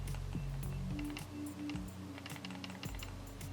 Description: Pick up your mouse, hold the buttons in and then lightly shake it from side to side. Hear a rattle? Yours might have sensor rattle too.